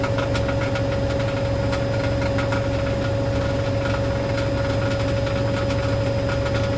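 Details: Hoover DynamicNext DXOA410C3 washing machine test spin: steady spin hum with loose, irregular rattling one to two times a second; object stuck in drum, believed to be a £1 coin under the heating element.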